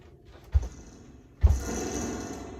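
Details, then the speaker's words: WEM Songbird 200 / Phantom accordion amp (repaired), spring reverb turned full on: two sharp knocks on the cabinet, the second followed by a long metallic crashing wash; normal spring reverb behaviour, nothing faulty. "when you put it full online it's a spring so respect if I'd bang it it'll do that thing"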